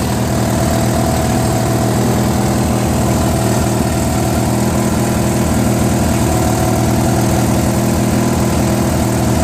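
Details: Trash-find Briggs & Stratton 16HP opposed twin on a Murray tractor (valve unstuck, carb added) runs ragged and lumpy with a wavering idle. It surges unless choked; owner suspects lean running through the open Welsh plug hole in the incomplete carburetor.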